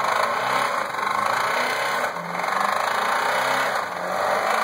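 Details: Chevrolet Cavalier at idle: fast, steady ticking knock over the engine that climbs with revs; owner suspects rod knock, cause unconfirmed.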